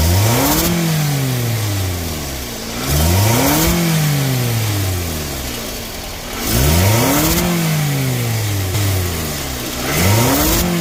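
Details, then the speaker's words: 2nd-gen Scion xB engine revved four times, each rev bringing a sharp airy hiss rising with rpm from a leaking exhaust flange gasket between manifold and pipe after the catalytic converter; pulsating RPM and power loss on acceleration. "all right guys so this right here is where um my vehicle is leaking exhaust okay um this is called the exhaust flange uh gasket that's in between here"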